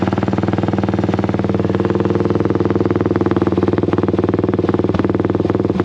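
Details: Honda XL175 dual-sport single idling after the new muffler is fitted: a steady, even, deep thump of about four beats a second, with no misses or knocks. The sound is deeper but barely quieter; healthy idle.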